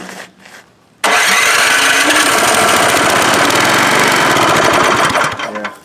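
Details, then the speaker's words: Donor MTD snowblower engine, thrown out but found working, pull-started before being moved onto the other machine: catches first pull, runs even and fast with steady chug, shuts off cleanly; engine works. "anyways I'm glad that the one engine works kind of surprised at that"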